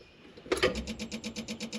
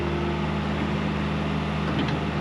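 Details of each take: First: John Deere 190E excavator with the key on and the engine off: a steady rapid clicking about nine per second from the throttle stepper motor pulsing. The electronic throttle doesn't work, and a fried ECM is suspected but unconfirmed. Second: John Deere 190E excavator diesel with 7,706 hours on the meter, just after the manual throttle was tightened so it won't creep, on a digging test: a steady, even low drone with no knocks or misses, running smooth and healthy.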